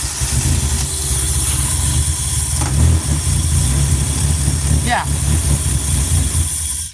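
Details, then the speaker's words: NB1 Mazda Miata, bolt-ons, Megasquirt Pro3, SK2 Ultra manifold, untuned with injector sizing known off and probably lean: idle throbs and hunts between 700 and 1500 rpm; surging idle, suspected off fuel map needing tuning. "Yeah. So, it just needs tuning is what it sounds like. That little bit of throbbing is something that as we get it to idle, right, will probably go away."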